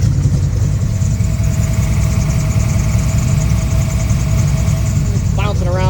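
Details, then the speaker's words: Factory Five MK4 Cobra V8 with Holley Sniper after rephasing the distributor and fitting new plugs and MSD wires, a small leak noted: deep steady burble, even pulses, no misses or knocks; normal idle. "looks like I'm L I'm leaking a little bit right here I'll take care of that but it's running good"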